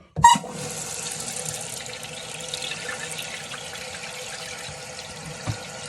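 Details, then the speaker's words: Toilet that kept running, just after replacing fill parts and refill tube; steady, even rush of water filling the tank with no hiss or sputter, new fill valve refilling normally, still checking that it shuts off. "I think it's fine. Shh. Don't say nothing. Working good. Sweet. So far so good. So I want to make sure it's going to shut off."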